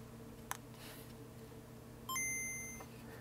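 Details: Game Boy Color after cleaning and capacitor replacement, retested: quiet room, then a bright, clean startup chime rings clearly and fades evenly. The speaker plays loud and undistorted, a normal result.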